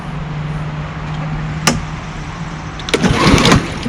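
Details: Walk-behind lawnmower from the 2025 startups: steady low drone swelling and sagging unevenly; surging because the broken choke lever lets the loose choke vibrate itself back, otherwise runs fine.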